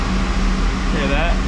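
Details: Boiler oil burner after the controller is reset fires and settles into a steady even hum with a smooth fan rush, no rattle or surging. It is a normal start, and an analyzer is to be hooked up next for tuning.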